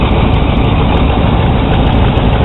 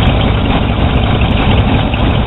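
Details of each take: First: 1982 GMC/Chevy truck, alternator replaced days earlier; running engine with battery terminal disconnected, heavy steady idle falters and the truck dies, showing the alternator is not charging. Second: 1982 GMC/Chevy truck with warranty-replaced alternator, gauge showing 14.5 volts; negative battery terminal disconnected and engine keeps a steady, even idle, alternator carrying the load normally.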